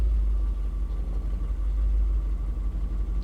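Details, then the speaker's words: 1999 Volkswagen EuroVan VR6 at idle: low rumble dipping and surging unevenly every couple of seconds; running better but still rough, owner suspects an ignition problem. "it's running better not great but better"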